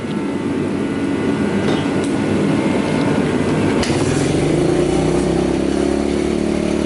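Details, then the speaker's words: 2003 Kawasaki KLX110 during rebuild, first start-up with choke pulled after air filter cleaning: the small single fires and settles into an even, crisp idle that picks up cleanly. More responsive and powerful than before; idle is to be turned down. "You already seem way more responsive even just starting up. Alrighty then. Okay, so she's running much fucking better."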